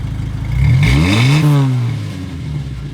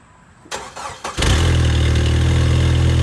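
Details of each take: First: 2.5L Jeep Wrangler TJ warmed to operating temperature after a cold start, new Thrush welded muffler replacing the cracked one: blips up and settles smoothly with a deep even exhaust note, no rattle or leak; exhaust healthy. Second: 2.5L Jeep Wrangler TJ, old muffler rusted and broken off at the back with a hole at the outlet: starts and idles loud, deep, raspy and blatting, harsher on revs; exhaust leak before new muffler.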